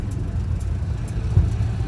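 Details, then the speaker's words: Subaru 360 van two-stroke after brake rebuild, warm after a test drive, smoking: low even rumble with no misses or knocks, holding a steady idle. "idling good though"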